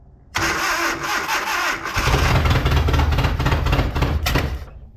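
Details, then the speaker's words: Datsun 720 King Cab 4x4 abandoned about 20 years, carburetor roughly rebuilt, won't idle, ignition timing just advanced back to its old mark: cranks, catches and runs with an uneven, lumpy beat; rough running, owner suspects jumped timing. "it doesn't feel right it doesn't feel right at all why is it working though doesn't feel right at all"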